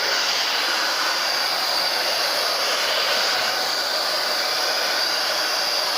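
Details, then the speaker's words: TAIFF 2100 W titanium hair dryer after cleaning and lubricating its motor to cure loud screeching: smooth steady airflow whoosh with only a faint high thin tone, no screeching; running normally. "pronto eu fechei aqui já pluguei na tomada e vamos acelerar agora [Música] já parou de gritar tanto"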